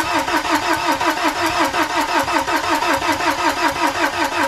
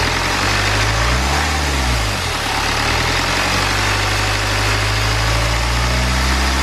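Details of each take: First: BMW N47, first start attempt after timing chain replacement and engine reinstallation, ignition cycled to prime the fuel. Even starter churning at about three beats a second, and the engine doesn't catch. A flat battery is found, drained over weeks connected. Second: BMW N47 diesel engine, first start after timing chain replacement and reinstallation; earlier no-start was a flat battery. Steady, even idle with low smooth beat, no knocks, ticks or misses; normal healthy idle.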